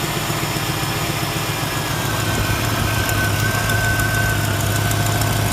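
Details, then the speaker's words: LT1 V8 (Caprice/Impala-type) after throttle body coolant bypass work: steady, even low rumble with no misses or knocks, idle holding smooth throughout. Normal idle. "I got exhaust Li well it sounds like it's running good he's running all right one thing at a time one less problem to go after right there"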